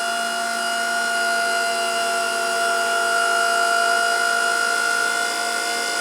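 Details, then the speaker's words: Pallet stacker after rewiring with larger wire, forks raised about 10 feet near top height; steady high-pitched pump whine, pump sounds like it is running out of fluid; hydraulic pump whine. "there you go you can hear the pump running out of uh running out of fluid there"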